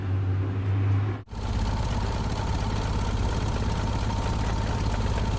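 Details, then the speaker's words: 1988 Jeep Comanche Renix 2.5L I4 manual, starting while reading ECU data: brief stumble then slow lumpy idle with deep uneven thump; owner suspects idle needs calibrating, possibly around 300 rpm; low rough idle. "I'll have to see if the idle has to be calibrated though I mean it could be idling at 300 possible"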